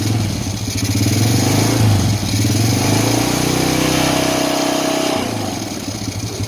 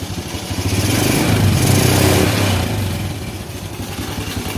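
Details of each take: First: Honda Supra Fit New motorcycle after engine rebuild for heavy smoke and rough, noisy engine: smooth even idle rising cleanly on gentle throttle blips and settling steadily, no knocks or rattles; running normal again. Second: Honda Supra Fit New motorcycle running with heavy smoke (ngebul) and a very loud, rough, clattery idle with an uneven thump about four times a second; rough, noisy engine running, diagnosed before disassembly.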